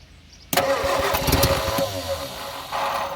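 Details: Abandoned Morris Minor being revived, a little petrol introduced, no throttle linkage; starter spins at a steady chug for about three seconds with no firing or catch: cranking, no start.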